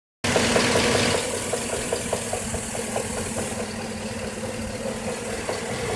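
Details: 2013 GMC SLE 4x4 5.3L V8 with only 1,800 miles, idling with a sharp regular knock of about two to three beats a second on the passenger side of the engine.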